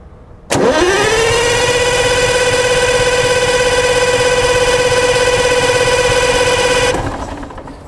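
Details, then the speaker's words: Worn September 1940 GM 4-71 Detroit Diesel with pitted injector tips, cranked before starting: the starter whirs fast and steady at a high pitch with hardly any compression pulses. It turns over very quickly, indicating low compression. "I have cranked it over already it turns over really quick doesn't have much compression at all"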